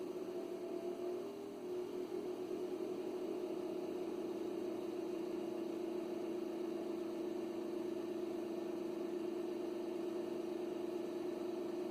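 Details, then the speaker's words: Original cooling fan in an Ameritron ALS-600 amplifier power supply, before replacement with a Noctua fan: steady, droning mid-pitched whir at constant speed, a noisy fan. "this is Gary k3 OS about to change the fan out on an American ALS 600 because this particular fan is noisy you'll hear the original"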